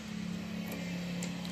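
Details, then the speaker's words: Discover 100 motorcycle after full engine rebuild and gearbox fitting: steady, even idle with no knocking; the earlier noise was from the crank, now smooth. "और भाई सबसे मजे की बात यह है कि इसका साउंड बिल्कुल स्मूथ हो गया है।"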